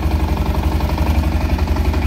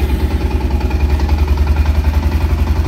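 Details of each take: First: Automatic ATV with about 7,000 miles, at idle: even low thump with faint rattle on each beat from the clutch, which is getting loose but still works fine and will probably need replacing eventually. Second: Used automatic ATV with about seven thousand miles, at a check-over: a steady, even low idle thump from the small single with no misses or knocks; it starts and idles cleanly.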